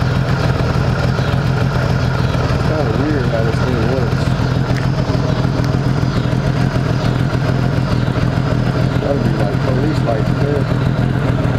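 Smooth, even low rumble from the six-cylinder holding a steady idle with no misses or knocks; engine is running healthy.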